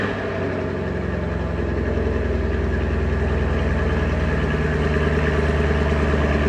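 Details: 2021 Camaro 2SS 1LE V8 with 16,500 miles: an even, deep idle with a steady low beat and no ticking or knocking. An earlier ticking, feared to be rod knock, never returned, and a dealer found the car healthy.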